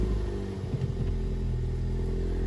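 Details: Ford Focus ST Mk3 estate, accident-damaged and previously with no crank, first start after repairs: catches straight away and settles into an even, deep idle with no stumble or clatter; starts and runs properly.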